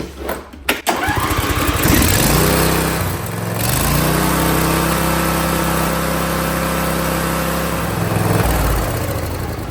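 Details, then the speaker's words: John Deere (LA165/LA135 type) Briggs & Stratton V-twin at full throttle, tachometer check: starts and drones steadily at high fast revs, way overspeed; high idle, tab then bent in to correct. "Yeah, it's spinning way way too much."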